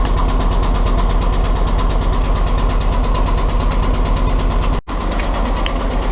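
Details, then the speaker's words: Willys Jeep CJ2a L134 engine at idle: starts right up but has a sharp, regular tapping knock about three per second on engine rhythm, with heavy white smoke and burning oil; earlier tapping had gone away, and the source is not yet identified. "So it starts right up and it runs good except for that knocking and the"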